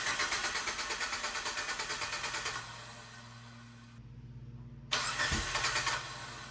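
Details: EVO 8 first start after a rebuild with a repaired 20G turbo, new downpipe, EVO 4/5/6 radiator and intercooler piping, cranked with the crank position sensor unplugged, then plugged in: rhythmic cranking pulses, then it catches and settles. A healthy first start.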